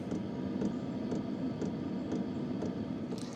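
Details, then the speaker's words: 2025 VEVOR 8 kW budget diesel heater running: crisp light tick about twice a second over the soft fan rush, most noticeable on low; ticking while running, source not pinned down. "There is some ticking in here. I've tested many other uh several other manufacturers. They're a lot more expensive. Uh but they didn't have ticking. There is some ticking here."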